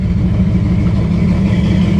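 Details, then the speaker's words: 1964 Impala with a 454 big-block, cold: loud, lumpy low rumble with uneven pulses and no steady beat, running terrible and loading up; owner questions whether it needs a rebuild. "all right so uh rode this thing to get some parts Sunday nothing important just some uh oh yeah it's running terrible it's cold too"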